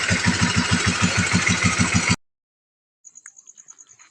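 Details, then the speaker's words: Honda CBR motorcycle after repairing noisy cam chain tensioner (small chain adjuster) and restarting with weak battery: single-cylinder idle with even, steady beat and no top-end ticking; noise fixed, normal idle. "Guys akhirnya berhasil ya teman-teman sea motor bunyinya normal kembali"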